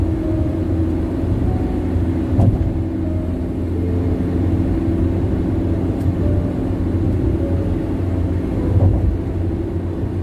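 Deep, steady road roar with low rumble fills the cabin at highway speed. Tire noise is loud, but no specific cause stands out.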